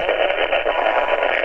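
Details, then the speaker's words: Xiegu G-90 HF radio on 20 meters with the preamp off, before fitting an AM broadcast filter: a constant rough hiss and roar with a garbled tone that buries every signal. Strong AM broadcast station interference. "a terrible noise I don't have the preamp on it it's just it's horrible what what is that on 20 meters sure sounds like an AM station coming across there"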